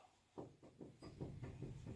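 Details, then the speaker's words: 2009 Saturn Vue, car jacked up, front wheel rocked top to bottom by hand: dull clunks about four per second from excessive play; front wheel bearing loose and worn, needs replacement. "so you hear that clanking that means the wheel bearing is bad she's Loose as a Goose in there just flopping around pretty much"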